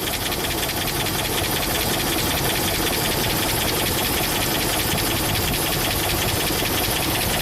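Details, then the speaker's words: 2005 Dodge Ram 2500 5.7 Hemi V8 at almost 300k miles, idling. It has an uneven loping idle with a regular stumble. A coil-unplug drop test shows cylinder 6 gives no contribution; compression or something else is suspected. Loud tapping is also reported. Dead cylinder. "so seems like Cylinder 6 missing compression or missing something but we can um at least diagnose why it's misfiring"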